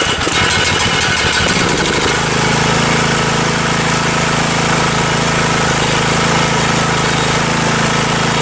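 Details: Riding lawn tractor single-cylinder engine cranks, catches after about two seconds and runs steadily after replacing the failed carburetor fuel shut-off solenoid that caused stalling and power loss under heavy load.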